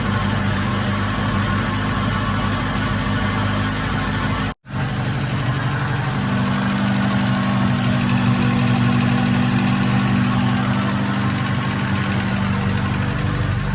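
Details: Acura Integra GSR DC2 B18C1 all-motor, new 170 thermostat fitted for cold lower radiator hose, just started and warming up, radiator still cold, air-fuel about 11.4 (rich, not lean): catches after a brief dropout, settles into steady even idle, no knocks or misses.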